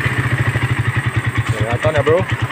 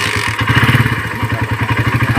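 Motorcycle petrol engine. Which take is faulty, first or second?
second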